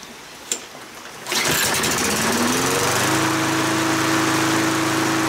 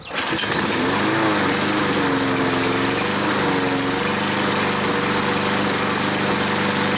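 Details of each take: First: Kohler XT6.75 149 cc 6.75 hp engine on a Yard Works self-propelled mower that used to shut off after 20–25 minutes, after clearing rust from the carburetor main jet: starter pull, then steady, even drone for five minutes with no surging; running normally. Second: Kohler XT6.75 (XG 675) 149cc 6.75 hp engine on a self-propelled Yard Works mower runs slightly rough with a wavering, uneven note; it shuts off after 20–25 minutes of running; clogged carburetor main jet.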